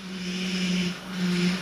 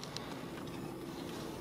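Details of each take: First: Mazda with engine running: low humming whine in two swells over engine hiss from a failing power steering pump, heard under pressure; noise rises with throttle, vibrates the steering wheel, and is worse when turning the wheel. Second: Mazda, engine idling while steering wheel turned after power steering system was bled: steady low hum, no whine or groan from the pump; noise fixed.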